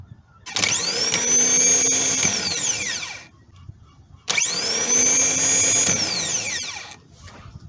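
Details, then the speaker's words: New starter motor for a 2011 Toyota Sienna (no-crank no-start), bench-tested off the vehicle with battery leads before installing: two bursts of high, fast whine spinning up sharply and winding down after about two seconds; starter confirmed good. "all right I have confirmed that this start is good it's in very good condition"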